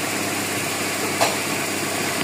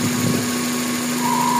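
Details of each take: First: GLI car engine, cold start: steady even idle with smooth light hum, no chirping or ticking; the cricket-like noise is gone, the problem solved as the valve now draws vacuum. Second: GLI car engine at idle: a thin whistle around 1 kHz starts partway through, a vacuum whistle from a faulty crankcase PCV valve; noise disappears when a part is removed.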